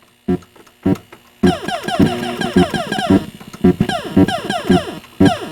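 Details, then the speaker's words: Atari Asteroids arcade game board: explosion sounds rough and buzzy with steady hum underneath, thrust sound missing; faulty game-board sound circuit, POKEY and amplifier not suspected, cause not yet found. "I do hear an overall Buzz which wasn't there when when they were working"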